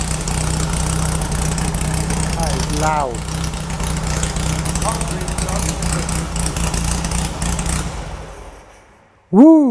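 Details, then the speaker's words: VW beach buggy on a 1967 shortened chassis, believed twin-port air-cooled engine, just restored, first start: low steady loud thrumming idle holding even for several seconds before shutoff; running fine. "that is loud holy crap yeah but that's"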